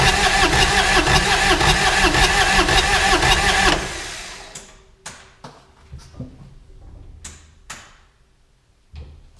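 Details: 2011 Kawasaki Mule 4010 diesel UTV, idle about two years, after valve train rebuild with new rocker assembly and push rods: starter cranks steadily nearly four seconds but engine never fires; rings suspected tight, low compression.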